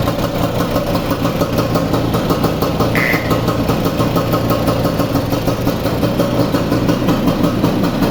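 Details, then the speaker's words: Vespa 150 two-stroke after repair of a loud engine noise caused by a broken elastic pinion gear: steady, even idle with a smooth popping beat and no knock or rattle; runs like a Swiss watch, normal. "A ver, pongo la cámara aquí y la arrancamos otra vez para oírla. Es un reloj suizo."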